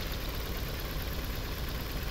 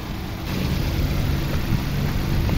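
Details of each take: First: 2011 Nissan Sentra 1.6 petrol idling rough and lumpy with an uneven thump, worse with A/C on; misfire persists after new plugs and coils, and ignition coil number two gets no signal from the engine ECU, so wiring is suspected. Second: 2011 Nissan Sentra 1.6 petrol idling with air conditioning on: steady, even low hum with no stumble or shaking; the earlier misfire with AC on is gone.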